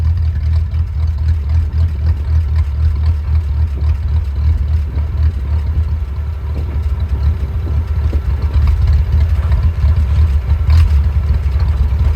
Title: Willys rough idle